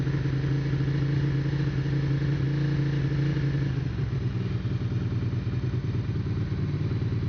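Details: 1992 Ducati 750SS twin after fixing a no-start (ignition relay clacking from low voltage; cause was a dirty battery earth strap to frame) fires and settles into a deep, slightly lumpy even beat with no misses; starting and running normally.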